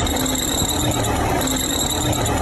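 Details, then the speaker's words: Running car engine with a steady high-pitched whine over a busy rumble, coming from the timing belt; timing belt noise. "Timing belt bunyi macam"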